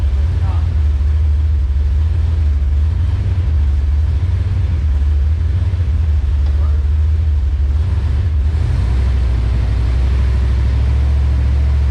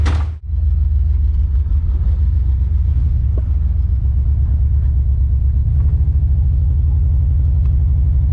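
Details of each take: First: Engine-swapped car after fitting new plugs and new wires and sorting the transmission: a deep, even drone with no skips or stumbles, a brief dip, then steady again. It is running normally, though it still needs a re-tune. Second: Car on its first test drive: a deep rumble with an uneven, stumbling beat. It is skipping, a returning misfire the owner thinks is probably the spark plug wire.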